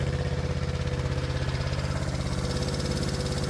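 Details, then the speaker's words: 1970 Honda CB350 twin, sitting for years, choke possibly on, one spark plug found rich: uneven lopsided idle with a loping beat near 200 a minute; one cylinder is not firing. "let's see if we can pick figure out where it is without pulling it apart is this thing firing let me turn yeah I'm just trying to check to make sure this is firing"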